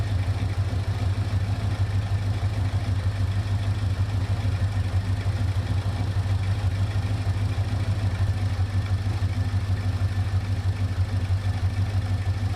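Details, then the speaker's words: 1972 Oldsmobile Cutlass 455 V8 with headers and newly installed ACES Killshot 2 EFI, first start: steady, even deep idle, about three pulses a second, no misses or knocks; normal idle. "Okay. I can't believe it. That thing sounds amazing, man."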